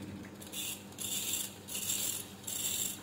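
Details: Hand-spun treadmill DC drive motor gives a rhythmic scraping rasp about once per turn, rising and fading; the armature shaft runs off-center, which would damage the drive board's IGBT/MOSFET.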